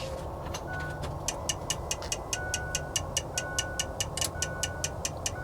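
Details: 2003 Ford F350 with 2004 Cummins 5.9 diesel, fresh rebuild/bore, new pistons, rings, injectors, FCA and FASS pump: steady starter cranking, about two even ticks per second, never fires; cranks but won't start.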